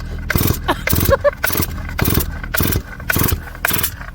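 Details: Chainsaw on Cam 2 racing fuel, fuel run out for storage: rapid pull-cord rasps, roughly two per second, no firing or catch; dry carburetor after storage keeps it from starting.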